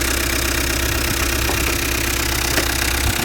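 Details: 2007 Peugeot Partner 1.9 diesel (DW8B) idling: sharp metallic knock about three times a second over the clatter; cause was the control injector, replacing it with a used one fixed it.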